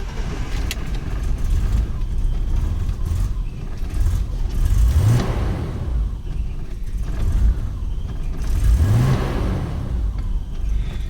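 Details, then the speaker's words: BMW E34 barn find with idle air control valve taped up, after stalling on a little gas: low, lumpy idle hunting and sagging between throttle blips, near stalling, car won't move; rough idle, cause unclear. "idling so bad again let me just try and back it up no i cannot give it gas this thing won't move"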